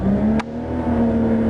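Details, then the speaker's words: 1993 Buick LeSabre that sat a while, no rev limiter, blowing smoke: engine held at high revs with steady tone, short dip and recovery, no knock or miss; free revving sounds healthy. "fogging for freaking mosquitoes but yeah I can rev the piss out of this one woo that sounded good"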